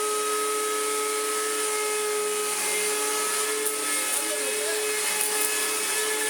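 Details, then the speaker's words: Electrolux Z1910 Self Propelled vacuum after restoration, powered up after reassembly: steady high-pitched motor whine with harsh rough edge; owner thinks bearings are shot, having only put a drop of grease on them. "I'm sure the astute of hearing, if I haven't just deafened the heck out of you, will notice that the motor sounds absolutely flipping awful. I think the bearings are shot."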